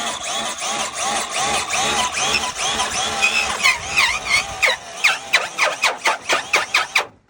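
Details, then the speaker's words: Arrma Fury RC car: high motor whine swelling and fading with each pass, with a gritty scraping edge underneath; owner believes the transmission is bad, not confirmed. "Yeah, that transmission's bad. You hear the scraping? That's terrible."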